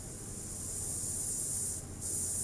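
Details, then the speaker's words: Car audio preamp with main volume off and treble fully raised: steady high rain-like hiss with faint hum underneath; inherent preamp hiss by design, not a failing part, repairable. "ปิดอยู่เนี่ยซ่านะฮะถ้าอย่างเงี้ยเขาเรียกปีซ่าฮะ"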